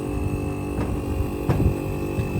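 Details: Old Samsung monosplit air conditioner, compressor that previously tried to start but only hummed (roncar), now restarted after the wiring was reconnected: steady low hum with a faint high tone and a few soft thumps; the compressor is running normally.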